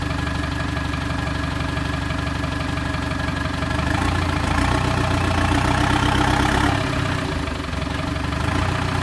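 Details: TDI diesel project vehicle, running after sitting 4–5 years in an exposed barn; fired straight up after oil was circulated and fuel pump plugged in. Steady, even clatter about four beats a second, no misses or knocks; normal healthy diesel idle.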